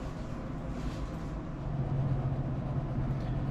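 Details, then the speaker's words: Ski-Doo Summit snowmobile after replacing broken QRS clutch rollers (clutch had stuck open, no low-end power): steady low engine drone, even rhythm, no knocks or slipping surges; normal running, pulling wheelies again on test drive. "So, looks like the rollers worked. Took her for a test drive. She's pulling wheelies again."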